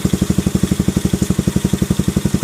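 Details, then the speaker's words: Keeway CR152 single-cylinder motorcycle, 2,000 km, stock carburetor and jet with bullet pipe, before Nibbi 28mm install: fast, even thumping idle; idle speed too high, owner suspects stock carb idle setting problem. "So kung naririnig ninyo masyadong mataas yung idle, siguro nagka-problema sila sa"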